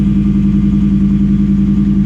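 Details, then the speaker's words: Ford Coyote V8 in a Copart auction vehicle with loud exhaust and check engine light on: smooth, even idle with a steady low burble and no ticks or knocks. "fire in the hole oo oh man hello okay this that's a good sounding coyote"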